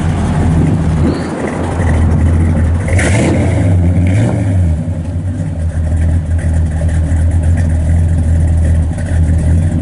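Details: Restored numbers-matching 1966 Chevrolet Impala SS, 327 V8, 4-speed, with dual exhaust: a deep, steady V8 burble swells as the throttle is blipped, then drops back to a smooth, even idle. The engine sounds healthy.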